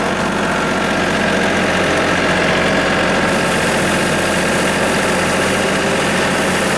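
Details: Tractor engine driving branch sweeper after chain drive repair, sweeping road: steady even churn with no grinding or crunching from the chain drive; normal operation.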